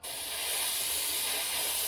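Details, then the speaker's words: Airbrush spraying Delta Ceramcoat black acrylic after cleaner was added to cure sputtering: steady, even high hiss with no spitting or breaks; normal spray. "There we go."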